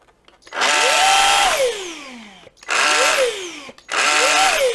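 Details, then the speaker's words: Samsung Jet 90 Pet vacuum, lightly used, turbo brush nozzle running with the brush removed: three short bursts of harsh, buzzy whir rising in pitch at start-up and falling away, traced to the turbo brush motor and gear drive. "you can hear that the problem is this part, the motor and the drive of the gear that powers the turbo brush, let's call it that."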